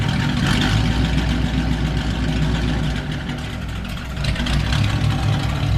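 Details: Engine running as a reference for how a healthy motor should sound: smooth and even, with a brief rev and a clean return, and no knocks, misses or ticking. It sounds healthy.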